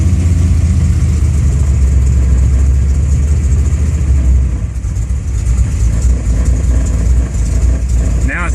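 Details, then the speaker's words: Warm V8 on a newly installed FAST EFI system, O2 reading about 10.5 air-fuel: low, lumpy idle sagging and faltering as if about to stall; owner suspects flooding from the system dumping too much fuel. "sounds like it's gonna quit on me because it's flooding"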